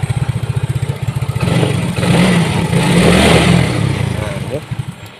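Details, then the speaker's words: Yamaha Mio J scooter: starts but won't hold idle, uneven putter with a brief rev that fades and dies; ISC already cleaned, intake air pressure reads normal, IAPS error; cause unconfirmed. "seperti ini kawan tuh jadi motor ini hidup nah tapi mati kawannya sekarang saya hidupkan kembali"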